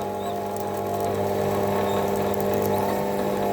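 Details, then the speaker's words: Optimum T2506 VB lathe boring polyethylene with a long-stickout boring bar: steady machine hum with thin high squeaks as the tool tip is buried in the bottom of the hole to square off the drill's conical tip; tool squeal. "that squeak you can hear is when I bury the tip of the tool in the bottom of the hole"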